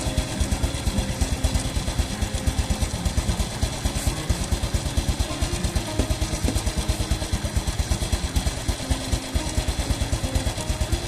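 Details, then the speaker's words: Motorcycle single-cylinder engine warming up at idle just after changing the old blackened oil to Shell Advanced AX7 10W-40 synthetic-based: even putter about two beats a second, no knocks or rattles; smoother than before. Normal idle. "mengaku sementara bunyinya juga jadi lebih halus karena ukurannya tentunya sama"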